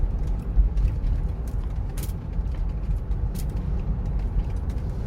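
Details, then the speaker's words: Sorento test drive at speed while turning right, earlier hum blamed on a worn driver-side hub bearing: steady low road rumble with no speed-rising drone; wheel bearings quiet and healthy. "그래서 자 한 번 더 보여드릴게요. 속도를 쭉 좀 내고 낸 상태에서 자 조용하죠."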